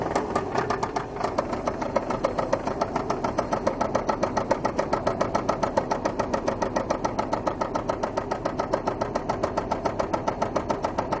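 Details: Volvo 850 Turbo engine with a severe noise while driving: a loud, sharp, evenly spaced metallic knock, likely bottom-end; owner suspects oil loss or low oil pressure from a clogged oil sump, not confirmed.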